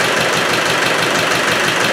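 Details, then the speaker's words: Land Rover Defender 110 diesel after engine reinstallation, running about 20 minutes: steady idle with rapid rhythmic chopping knock at the rear, source unknown; owner doubts it's the gasket, suspects excess back pressure, maybe a broken ring. "you can hear it at the back it's like a chopping noise gasket can't be but there's something at the back you can't quite put the finger on it"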